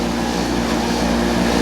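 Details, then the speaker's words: Speed Queen 30lb stack dryer blower motor: loud constant droning hum with a heavy low buzz; the blower motor is vibrating badly and far too noisy. "That is a blower motor vibrating."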